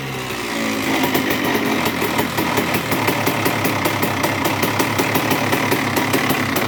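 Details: 2002 Honda CR125R two-stroke with Wiseco crank, after new OEM cylinder/top end: crisp idle, rapid ticking with rough low growl underneath persists; bottom-end/main bearing wear suspected, crank and mains next, not confirmed.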